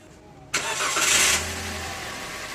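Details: Toyota Avanza 2015 after a crank-no-start: spark plug gaps adjusted, position sensor cleaned. Short crank, then the engine catches cleanly and settles into a quiet, steady idle within a second; starts normally.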